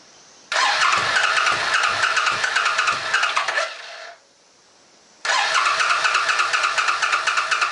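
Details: Old Suzuki Boulevard sat for years, fuel on reserve, choke on: two spells of steady starter cranking about three seconds each, never catching; fuel then pouring from rear carburetor vent, float suspected stuck open or damaged.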